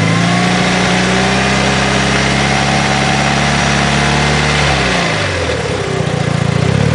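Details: 2006 Evo IX turbo engine idling and revving: loose metallic rattle loudest as revs fall off throttle, gone with clutch pushed in, returns on engagement, quieter when cold; throw-out bearing suspected.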